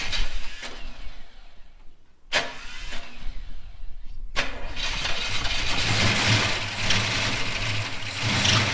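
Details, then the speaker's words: Holden HK, engine just installed, first start after filling radiator: several short cranking bursts, then it catches and settles into a steady, even idle with a smooth rumble; a welsh plug leaks on one side. "But everything else, she started and she ran."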